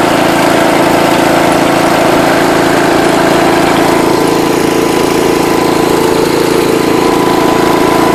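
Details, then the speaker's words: John Deere 210 lawn tractor, Kohler engine, after adjusting idle and low-speed mixture screws: steady even idle around 167 beats per minute, no misses or hunting; normal running. "alright guys got it running again this thing flies"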